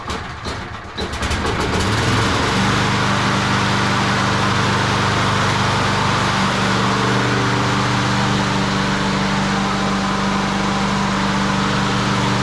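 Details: Craftsman 22-inch push mower, 6.0hp Quantum primer-start single, after annual service (fuel system cleaning, new plug, air filter, blade, self-propel belt, pull string). Brief pull-start clatter, then a steady, even drone with no surging or misfire; runs healthy.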